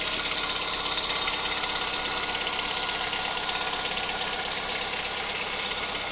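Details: Kia Picanto 2011 1.2 G4LA, 96,400 km: at idle a sharp, fairly regular tapping of about 167 per minute over the engine. Unexplained engine knock, cause unknown.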